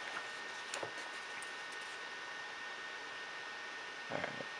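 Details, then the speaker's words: HP Envy 14 laptop (Intel i5 460, ATI Radeon 5650, 8GB RAM) after a heavy rendering load: a steady airy fan whoosh with a faint high whine and no rattle. The fans take a minute to slow down and stop, which is normal. "and then afterwards it takes a minute to turn off the fans because it gets slowing down."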